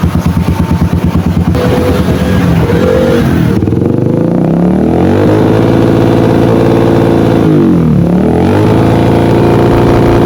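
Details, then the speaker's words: Yamaha XTZ125 with new CDI, regulator/rectifier and wire harness, wiring correct: engine stumbles and stutters as revs rise, won't rev out; misfire at high rpm from unstable CDI supply voltage. "Ayan palyadong palyado yung niya Tama naman yung pakabit ng kanyang wire kanyang regulator at s kanyang cdi goods naman pero Ganito pa rin kanyang andar"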